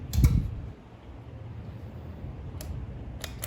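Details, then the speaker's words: 1947 Willys CJ2A barn find, long unused, jump-started on a charger's start mode bypassing the key: a few sharp single clicks with no cranking; solenoid suspected stuck or junk, charger possibly cutting out. "I think it's safe to say our solenoid's stuck or junk. We get 2 or 3 clicks out of her and she just says no more."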